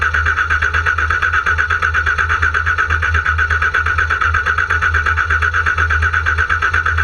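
Starter spins the engine in an even beat of about three compressions a second, but it never catches or fires.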